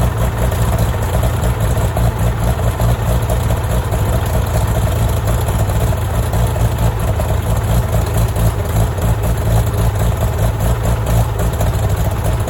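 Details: Farmall tractor (1949 H or 1968 656, unclear which), troubled by fuel problems and cutting out; carburetor adjusted after it hadn't run over 30 seconds, coolant was 2.5 gallons low. Steady, even low rumble at a settled idle, no misses, knocks or surging; normal running.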